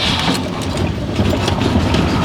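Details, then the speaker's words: 1991 Ford F-150 after sitting 8 years, running on Sea Foam after a replacement connector: rough, uneven, stumbling V8 with ragged exhaust pulses; cylinder misfire, harness/connector under upper intake suspected, not confirmed. "yeah you can really hear that mess that's pretty much all we can do with the old Ford for now"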